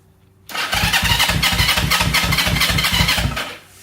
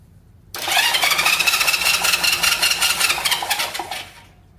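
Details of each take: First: 1970 Honda CL350, sitting 42 years, starter activated by grounding the yellow/red starter wire with key on: starter spins the engine cleanly and evenly, about three compression pulses a second, strong and steady; starter working fine. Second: 1970 Honda CL350 that sat 42 years, plugs re-gapped to about 0.030 in: starter churns the engine steadily for about three seconds with no firing; no spark, plug wire cooked.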